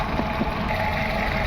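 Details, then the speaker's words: VW Vento petrol engine, P0300 and P0201: lumpy idle with occasional missed beat. Test light shows cylinder 2 injector wire pulsing but cylinder 1 (purple wire) not; wiring to injector OK, so ECM is not driving it. Cylinder 1 misfire, faulty ECM. "इसका मतलब है कि यहां से wiring inductor तक okay है। ECM इसको current नहीं दे रहा है"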